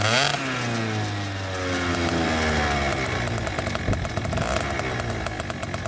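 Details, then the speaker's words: Two-stroke scooter just after re-packing the exhaust silencer, recorded against a wall that makes it louder, with wind noise: buzz climbs after starting and wavers with throttle blips; the note is soft, healthy and significantly quieter. "difficult to tell from the video, but that is significantly quieter."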